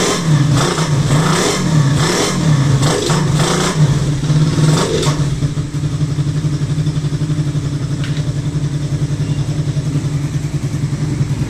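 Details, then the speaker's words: Raider 150 carb single-cylinder motorcycle after new timing chain, guide and tensioner plus clearance check: revs then even, quiet idle, chain noise gone. "so after na magpalit ng timing chain with guide magpalit ng tensioner at mag-resume okay na yung makina ng motor ni boss non so wala na yung ingay"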